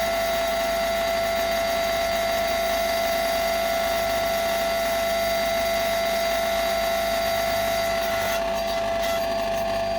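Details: Single-phase AIR induction motor with large start capacitor on a three-wire soft starter: constant harsh buzzing hum absent on direct mains; the starter isn't fully open while running, clipping the sine wave; fix: bypass it with a contact after ramp-up.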